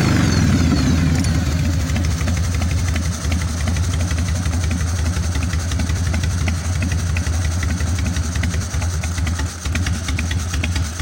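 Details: 1996 Harley-Davidson FXSTSB 1340 Evolution with Mikuni HSR 42 mm carburetor, idle mixture set to 1.5 turns, accelerator pump adjusted: lumpy V-twin idle with throttle blips, even and steady; normal idle and revving.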